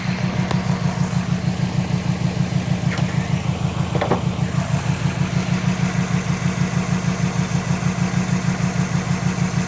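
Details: 2005 Subaru WRX EJ20 with code P0340 and a cylinder 3 misfire. New coil, spark plug, front O2 sensor and battery fitted; compression good; timing belt and MAF checked. A steady idle with a rhythmic stumble about three times a second gives a lumpy beat.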